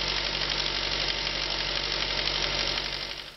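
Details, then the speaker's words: Engine idling: fast, fairly even light rattle about four per second over a hissy idle from the intake manifold area; loose, failing swirl/tumble flaps chattering with engine vibration. "one symptom of failing flaps is a rattling noise coming from the area as the flaps become loose and move around a lot with engine vibration"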